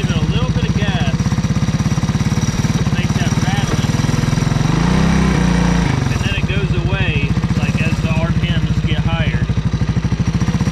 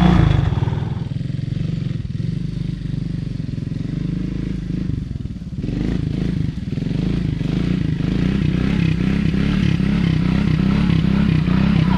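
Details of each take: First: Honda ATC 200S three-wheeler single cylinder at low revs with a little throttle, timing chain already adjusted: light rattling tick riding each firing pulse, absent at idle; owner suspected rockers, but a faulty CDI is behind the low-speed rattle. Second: 1985 Honda ATC 200S three-wheeler with 165 original miles, after engine repair of a tapping/ticking noise: a steady low drone with even pulses and no clatter, normal running with no more noise.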